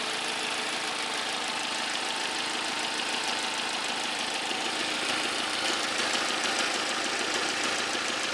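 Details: 2003 Vauxhall Vectra C SRi 2.2 at idle: light, quick top-end tick about three per second over steady idle; cause unclear.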